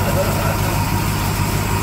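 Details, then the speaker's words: Barn-find classic Mini pickup-based ice cream van, long-dormant petrol engine running on its own after first start on choke: deep, even idle thrum with steady firing and no clatter. "holy cow actually running it's all the way sound"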